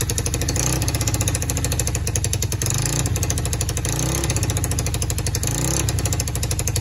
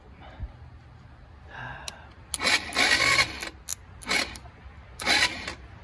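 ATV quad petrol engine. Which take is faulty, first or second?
second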